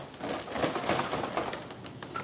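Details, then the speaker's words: E-flite Carbon Z Cub SS 2.1m RC plane on floats, shaken by hand while flipped over: light irregular tapping and clattering from the float struts moving in their mounts. "It just feels, oh, it's the struts."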